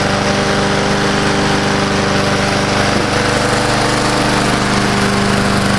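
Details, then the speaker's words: Old Murray Dynamark 22 mower, 3.75hp Briggs & Stratton, revived after seven years stored, sharpened blade, mowing thick grass: steady, even single-cylinder buzz without dipping or bogging; normal running under load. "but did a real nice I like and back here where it's pretty thick that didn't even bog down or anything"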